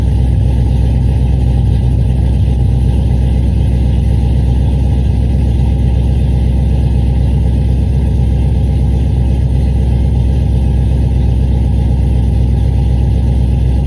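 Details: Cadillac CTS-V V8, newly tuned after new heads and cam, at idle: deep, uneven, stumbling beat with irregular popping dropouts; a misfire, likely from a failed ignition coil.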